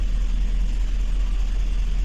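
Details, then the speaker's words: 2007 GMC Yukon XL V8 with deep, lumpy, uneven idle, one bank not firing; electrical misfires on cylinders 1, 3, 5, 7; wiring found broken/pulled. "यह गाड़ी है योकन axle missing कर रहा है गाड़ी आप देख सकते हैं"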